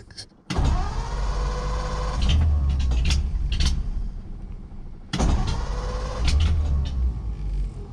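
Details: Car ("the 40") that used to start right up; choked with one pump of gas, owner fears it is still flooded. Two long spells of even, fast starter churning with no catch or firing: cranks but won't start.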